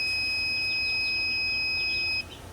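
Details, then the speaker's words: Tormach PCNC440 mill ATC low-pressure warning switch on test after repair. Steady high-pitched beep triggers at about 65 PSI, then cuts off cleanly as rising pressure resets the switch at about 70 PSI. "okay so that was low pressure detected at about 65 [Applause] PSI and then kicks off at about 70"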